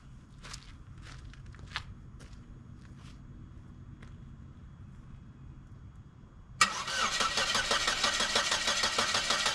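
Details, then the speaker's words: Dodge Caravan with engine oil replaced by water, gas pedal wedged wide open: quiet clicks then continuous cranking with no firing; ran fine ten minutes earlier, owner suspects a safety feature blocks starting with pedal held down. "the only thing I can think is that maybe it has a safety feature if you're holding the gas pedal down it won't fire up"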